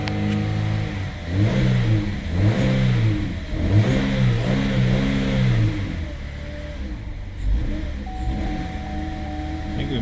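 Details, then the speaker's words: 2009 Chevy HHR 2.4L, found out of oil from a failed PCV system, first start after refill: revs hold clean, then stumble and sag as rpm drops; suspected stuck cam actuator, later actuators replaced. "I think we might have a stuck cam actuator because we run good at higher RPMs. As soon as we start to drop down here, oh, nope."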